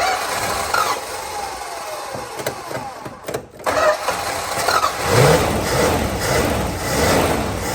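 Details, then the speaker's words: 1965 Plymouth Barracuda, original 273 V8, 138k miles, 4-speed, off road since mid-90s, used fuel pump fitted, fuel poured in carb: cranks, catches into lumpy stumbling idle; one cylinder misfiring, burning oil, needs tune-up. "yeah this thing sure sounds like it's down a hole it sounds to me like it's cranking pretty evenly also like there isn't an incredible amount of compression in this engine but it should be enough to do things"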